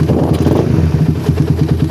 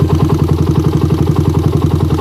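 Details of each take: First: Motorcycle with a well-tuned PWK carburetor, original choke still fitted: initial throttle opening is clean, and on release the revs drop straight into an even, steady idle with no hanging. Normal return to idle. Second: Motorbike with PE PWK/PWL carburettor, warm engine, only the choke changed: on first throttle opening the engine pulses unevenly and the rpm won't settle; weak spring, worn choke piston or bore suspected.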